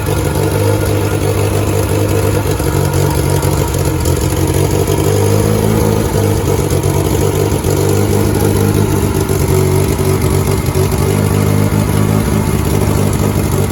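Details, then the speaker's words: 1988 VW Polo MK2 breadvan after carburettor clean and refit, started with a few revs: revs out okay but tick-over drifts up and down instead of holding even; better than before, cause still unfound. "I'm still not happy with that tick over. It does sound up and down a bit to me, but it's better than it was."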